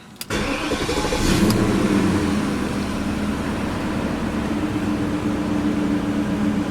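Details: 1998 BMW 540i 4.4-litre V8 cranks, catches quickly, then idles slightly uneven and lumpy with one dead cylinder: code 156 injector 7 misfire from an intermittent connector contact causing voltage drop, apparently a wiring problem; check engine light on.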